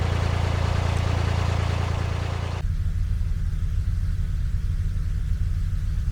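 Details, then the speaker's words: Narrowboat diesel on the Grand Union Canal, Leicester Section: deep heavy thump with a loose knock roughly twice a second coming from the tiller arm; knocking. "hopefully when i get round to the next lock i'll be able to go straight in and if you can hear that knocking from the tiller arm"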